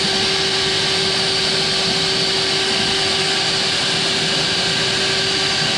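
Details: Eco magnet drill after fitting a new motor and new bearings, first power-on test: smooth, steady high whine at constant pitch, no grinding, rumble or crackle; runs very well, sounds good.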